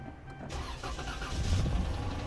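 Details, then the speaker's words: Dodge Charger with prior crank-no-start, after fuel pump replacement with temporarily wired connector: quick crank catches within half a second, then steady low idle with no stumble or misfire; starts and runs normally. "the car is running okay guys we're done we got it running"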